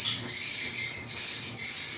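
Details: Electric Samsung dryer in a newly bought house, after about ten dry cycles: piercing, steady high screech while running, from worn rear drum support wheels; idler pulley/belt tensioner also replaced.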